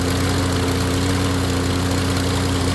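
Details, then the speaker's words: Toro Recycler lawn mower after repair, a clogged main jet replaced, fuel system refilled after sitting unused: a loud, even single-cylinder drone with a steady low hum, no misses or surging. Normal running. "ahí está ahí quedó ya la máquina arreglada amigos"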